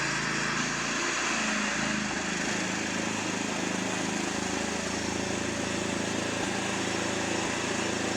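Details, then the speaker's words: Fairly new lawnmower run with the mower deck off after cleaning: steady running with occasional stumbles and brief dropouts. An intermittent misfire that choking clears; a fuel problem is suspected. "okay so still doing it once in a while it's not as bad but as soon as I choke it it actually helps because it almost it clears it for some reason and then it starts to running normal so weird it's almost got to be a fuel problem"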